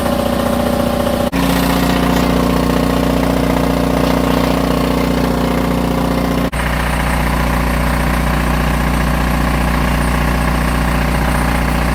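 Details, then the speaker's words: Onan DJB 6.0 kW diesel gen set after field coil rewind, load test: steady diesel thrum with constant electrical hum, load changes barely dip it; runs smoothly and normally. "Well, seems to work just like it's supposed to."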